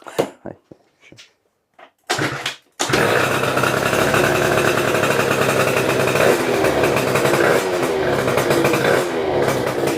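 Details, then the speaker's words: Booster scooter with 77cc Athena two-stroke kit, starting after build, choke on: a few choked coughs, then catches to crisp steady idle with light blips; healthy normal idle. "Ça te plaît déjà au son? Ah, il a un beau bruit. Tu sens qu'il a la mort."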